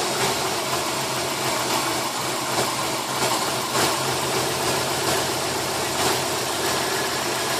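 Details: 2005 Subaru WRX, stock, new plugs, coils, MAF, inlet pipe, vacuum lines and new ECU: rough idle with irregular stumbles and puffs, misfiring as revs return to idle; cause unknown.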